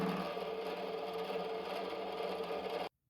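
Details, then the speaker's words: Used small milling machine taking an oiled light cut in steel, Y axis unlocked and shifting partway: constant whirring spindle with a loud scraping cut for about three seconds, then it stops; normal cut, machine usable. "So what happens when you cut steel? I'll try applying oil and scraping it. It makes quite a loud noise when they grind it, so"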